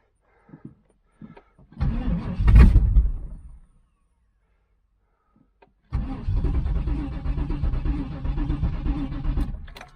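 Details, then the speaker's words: 1996 Pontiac Trans Am 5.7 LT1 V8, no exhaust hooked up, spark confirmed at distributor, fuel sprayed in: cranks, coughs into a loud burst, runs raw and loud a few seconds then dies; owner suspects fuel pump not working. "Yeah, sounds like there's no exhaust hooked up. It doesn't sound like the fuel pump's working."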